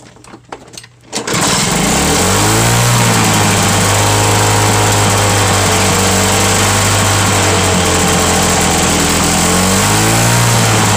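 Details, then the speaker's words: Cold start of a mulching mower with a non-original primer, broken kill switch held with vise grips, and a small gas leak: pulls over, catches, settles into a loud raspy high-speed buzz; loud because of the exhaust fitted to it. "this one's loud but uh i'll show y'all why it's because of this um the exhaust that's on it"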